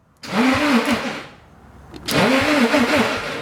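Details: Nissan 240 with a freshly installed SR20 engine and a new Mishimoto SR20 starter, cranked on a 12 V lead with the fuel pump off: two short, clean, rising whirring cranking bursts with no grinding.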